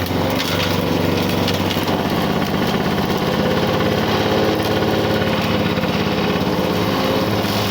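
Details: 1985 Lawn Boy 7350 two-stroke mower, revived after years outside, chopping through weeds; steady buzzy burble, pulling evenly without stumbling, revs a touch low; owner says good running but running a little lower RPM, may adjust.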